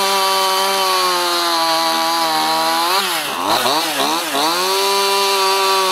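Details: Stihl MS211 chainsaw after replacing the bogging, hesitating carburetor with part #1139-120-0612: steady high whine that dips briefly in the cut and recovers cleanly with no bog or hesitation; normal running.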